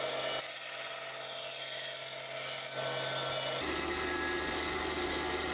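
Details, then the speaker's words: Wood-cutting band saw making a straight cut with the material guided along the fence: even, regular rhythmic rasping of the blade over a steady motor hum, with no squeal, screech or clicking; normal cutting. "So as I'm pushing a piece of material through the saw, I'll notice the regular rhythmic sound of the blade cutting."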